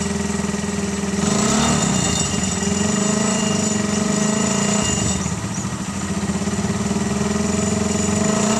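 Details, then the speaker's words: Suzuki Carry 1000 pickup fitted over a year ago with a Thunder 125 motorcycle engine, still used for work, warming up at idle: a smooth, even single-cylinder beat with no knocks or rattles, smoother and less loud than before, running healthy. "Dan silakan dengarkan suaranya ee suara motor thunder yang saya rasa malah semakin halus lah suaranya. Enggak terlalu keras lagi."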